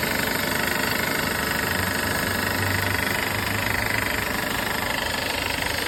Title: W204 M271 rattling noise